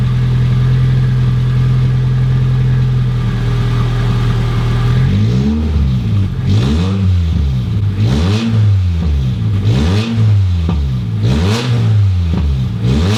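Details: Toyota MR2 Mk1, first start in 12 years, no exhaust fitted and coolant leak present: steady idle then raw, blaring rising and falling revs, very loud with no exhaust.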